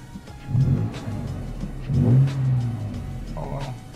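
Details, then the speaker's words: Toyota truck after replacing a faulty mass air flow sensor (old sensor caused check-engine light, delayed acceleration, slow response): engine picks up cleanly on each blip, rising and falling smoothly with no hesitation or lag; healthy acceleration after repair. "a big difference she's alive response so much faster I'd say like 50 70 more percent faster no delay no lag"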